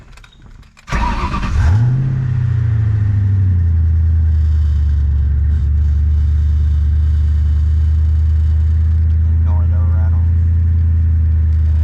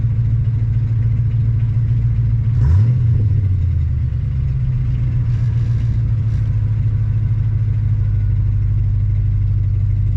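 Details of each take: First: Ford 4.6L/5.0L/3.8L Mustang-type engine starting then holding a raised idle near 1500 rpm in neutral with an idle air control overspeed error, revs hanging between shifts; idle air control valve letting in too much air. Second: Ford 4.6L/5.0L/3.8L engine that previously idled at about 1500 rpm with an idle air control overspeed error, restarted after installing an IAC restrictor plate: a brief rev flare, then a smooth, steady, normal idle.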